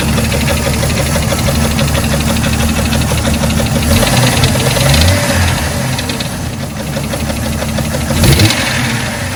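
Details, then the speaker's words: Jeep 4.0 inline-six with a rebuilt head, recorded when it blew up, before teardown: loud rough running with uneven knocking about three per second; owner believes the damage is in the bottom end; engine knock. "I mean theise noise from when it blew up sounds like it's lower end anyway"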